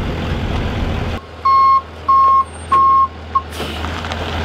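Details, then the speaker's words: Brand-new track loader reversing: loud clean high beeps, three full plus a clipped fourth, about one every two-thirds second over low diesel rumble; normal backup alarm. "You ever hear that beeping, you look, pay attention. Yeah. There it is."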